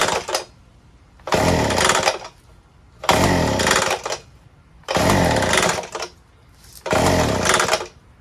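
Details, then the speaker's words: Small two-stroke edger, previously dry, fuelled with 50:1 mix, primed and on choke; four short bursts that catch briefly then die, won't keep running; ether to be sprayed into carburetor, cause unconfirmed. "let's put it to run i don't think it'll run it doesn't sound right"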